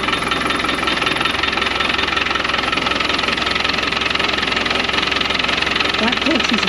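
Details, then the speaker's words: Land Rover Defender 110 diesel idling in neutral, clutch pedal held down, just started; steady metallic rattle about three beats per second; suspected clutch rattle, said to worsen as it warms; clutch to be replaced. "It gets worse as it gets warm. So saying right now that doesn't sound too bad."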